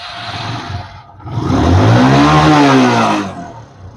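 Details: Hero Glamour FI 125 bike after timing chain work: clean rev climbing smoothly and falling back with no tapping or rattle over the exhaust note; engine sounds healthy.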